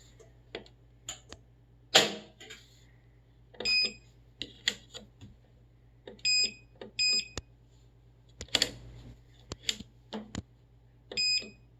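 Repeated short high-pitched beeps in groups over clicks and handling; the washer refuses to start and the cause is unclear.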